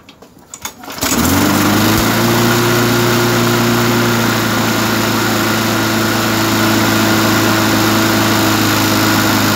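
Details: Briggs & Stratton 3.5 hp small engine after carburetor cleaning and refitting a missing spacer and O-ring (suspected air leak). Fires within a second and holds a steady, even drone with no surging; runs well.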